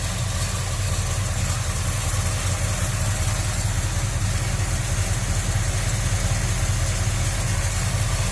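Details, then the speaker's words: Chevrolet Monte Carlo after fuel filter change (correct 3/8 size) and stiffer throttle return spring, idling steady and even with a low smooth rumble, no misses or knocks; sounds back to its old self, much better. "boy it sounds like it's about to Sparky old self and that already sounds better"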